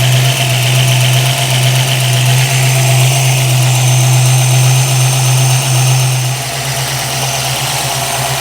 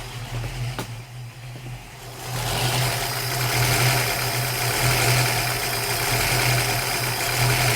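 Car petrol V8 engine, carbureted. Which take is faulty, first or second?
second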